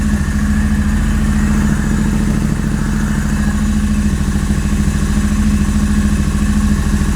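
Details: Royal Enfield Interceptor 650 twin at first start after wiring new custom switchgear: strong, even thump at idle with a steady firing beat, no misses or clatter; running cleanly.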